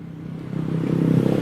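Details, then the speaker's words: Carbureted Honda Beat scooter, starter rewired to bypass the relay inside the CDI. The single fires and picks up revs smoothly, pulsing evenly with no stumble; running normally. "Nah, hidup ya. Salah satu contoh itu. Itu mesinnya hidup. Ini lagi hidup. Ini hidup ya."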